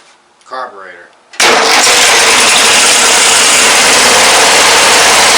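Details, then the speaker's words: Late-1990s Murray Select mower with 17 hp Briggs & Stratton opposed twin: catches straight away and holds a loud, steady buzzing idle but is fuel-starved; owner suspects the carburetor diaphragm is crisped, causing lean running. "carburetor yeah it's not getting the fuel that it needs but it sounds like a healthy engine [Applause] well it runs but I think that diaphragm is crisped"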